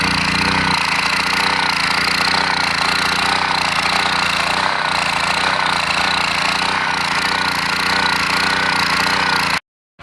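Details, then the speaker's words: Champion generator engine after carburetor cleaning runs busy and raspy, speed drifting up and down; carb cleaned enough to run but still surges/hunts, causing power-output surges. "so if you hear the way that thing is surging that's going to cause some problems so basically the carb cleaned up good enough to run but it surges"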